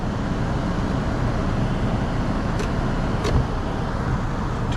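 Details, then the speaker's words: 2016 Toyota Camry with a no-crank complaint, idling with the lights, high beams and AC on to load the charging system: low, even rumble with no misses or dips. The alternator keeps up at about 13.5 V; the old battery is suspected. "the high beams on trying to load on just to see if this alternator is keeping up yep alternator seems to be keeping up with it"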